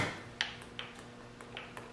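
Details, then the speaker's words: Mercedes M100 6.3 V8 with piston damage, piston rocked by hand: light sharp metal clicks about every 0.4 s from a loose upper wrist pin; all eight are loose, suspected from fuel-diluted oil. "this one is not one of the worst ones but you can definitely hear it's loose they're all like that"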